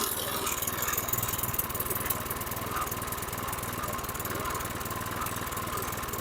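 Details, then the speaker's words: 2010 Toro Recycler mower, model 20331, Briggs & Stratton 6.75 HP single-cylinder, idling slow and uneven; low idle speed, suspected insufficient throttle spring tension, unconfirmed. "he okay that was a challenge so you can hear the low idle I think I know what I'm going to do I'm going to bring that spring back I don't think there's enough tension here"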